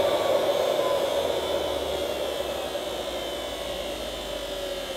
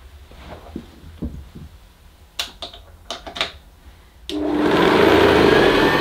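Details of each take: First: 1975 Hoover U4034 Ranger Senior vacuum with the belt released: the motor alone gives a smooth, steady high-pitched hum with no rattle; the noise is blamed on the agitator brush roll, likely worn bearings. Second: 1975 Hoover U4034 Ranger Senior vacuum cleaner, first power-up after an attic find, cable taped: harsh loud rattle over the motor hum; owner suspects much of the rattling is the agitator.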